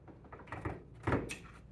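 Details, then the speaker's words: AutoSlide rack-and-pinion sliding door closing under power: two short clattering grinding bursts as the motor gear skips on the track because the unit isn't pressed down tight enough; fix by loosening the three mounting screws and pushing the unit down. "So just to demonstrate, I've set it up again so that if we go ahead and power on the system, and this door is going to close, and then we should hear that grinding noise, just like that."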